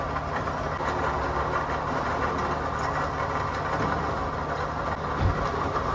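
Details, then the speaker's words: Toyota Camry 2AZ engine at idle: rough idle with constant gritty rumble and mid-pitch hum over the engine; worn water pump bearing, pulley visibly wobbling left-right with play. "ये जी बिल्कुल आवाज़ जो है आपने सुन ली है। तो आवाज़ जो है ये जी वाटर पंप की है।"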